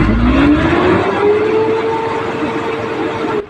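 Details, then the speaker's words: Hino diesel truck with hard start, low power and misfire, after fitting a new limiter: revs up smoothly to just over 2000 rpm but pulls flat and weak; starts easier now, low power at high rpm remains, cause unknown. "May pagbabago na sa RPM. Aabot na siya ng 2 media mahigit na pinaround test natin dito. Kahit na madali na lang siyang bandarin at may pagbabago na sa RPM niya ay may kulang pa talaga."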